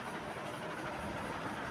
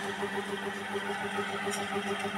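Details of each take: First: Fan after a bearing service for a loud night-time noise. Only a steady, even rush of air from the spinning blades is heard, with no grinding or ticking from the hub; the noise is fixed. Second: Ceiling fan, noisy at night per the owner: steady motor hum pulsing about three times a second with faint scratchy squeaks, from dry, worn fan bearings, recorded before cleaning and bearing service.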